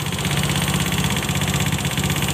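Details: Honda Scoopy FI scooter with noise complaint, running with the CVT removed: rough, rattly top-end tapping on every firing pulse persists, so the noise is from the engine, not the CVT; loose valve clearance.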